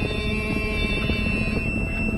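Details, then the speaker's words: A Hagie STS10 sprayer applying 32% nitrogen in the field, just back to spraying after a two-hour repair: a constant high electronic tone over the engine drone as the cab monitor beeps continuously. Cause not confirmed. "so the monitor absolutely drive you crazy"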